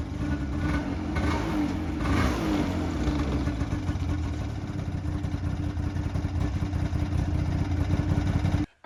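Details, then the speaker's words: 2008 Ski-Doo Rev two-stroke snowmobile sold as blown up: crisp buzz swelling cleanly on each throttle blip, no knocking or rattle; fired right up, not blown up, normal running and revving. "right so since this is way rather uneventful that this thing actually just fired up and probably was one of the best deals I've ever gotten fire right up it is in fact not blown up like the ad stated"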